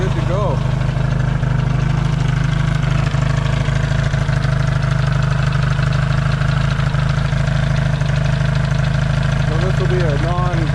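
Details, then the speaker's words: Yamaha XS650 twin after fixing its burning-oil problem, warming after a cold start, points not yet properly adjusted: deep, even, smooth idle thrum with no stumbles or knocks; healthy, no longer smoking. "and I'll uh yeah I'll let it warm up and we'll show you that it's not smoking anymore and things are good"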